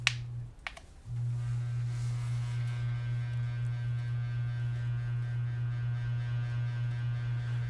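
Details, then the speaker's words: Hampton Bay Minuet II ceiling fan dated April 1999, about 21 years old, run on high speed: loud low drone with a steady throb about four per second; unbalanced fan humming and vibrating the garage stud it is mounted on. "yeah so as you can see as you can hear that not only that the ceiling fan is vibrating and stuff it's vibrating the studs it's vibrating the stud that i got this fan on"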